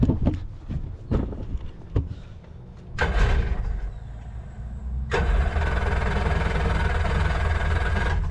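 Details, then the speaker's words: Cheap marketplace jet boat engine run on a water hose: several ragged, uneven firing bursts stumble and die as a little more gas is given, then it catches and holds a rough steady run; hard starting. "give a little bit of gas wants to fire out give her a little bit more gas"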